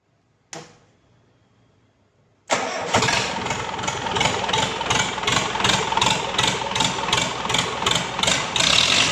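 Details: Simpson S4 diesel engine after overhaul, test run: starter turns briefly, engine fires and settles into an even, steady idle chug with no odd knocks; normal start and idle.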